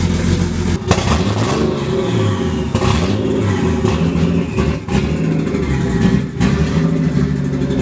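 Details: Barra-swapped Mustang drift car fires up and idles very poorly, running really rough with uneven stumbles; AFRs pegged lean over 17; misfire traced to a faulty injector.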